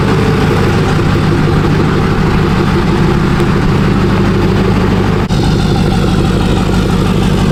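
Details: Rebuilt Duramax diesel truck after a cold start at about -4 outside: steady, even diesel clatter at idle with a deep, unchanging drone and no misses or knocks; healthy idle.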